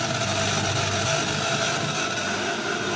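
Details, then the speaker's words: Air cooler water pump switched on alone, fan and swing still off, after the wiring checked OK for continuity. A steady, even hum with a light whirr and no knocking or grinding: the pump is running normally. "ये आवाज जो आ रहा है ये pump का आ रहा है, pump चल"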